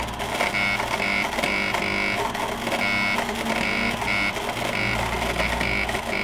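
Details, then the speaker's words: Broken Tap Remover EDM spark-eroding a broken 6mm drill bit inside a steel forging with a brass electrode and water flush: a steady crackling electrical buzz with a thin high whine and faint even pulsing; cutting normally, slow and messy. "it's basically what we call a disintegrator or U Electric discharge it's messy and slow"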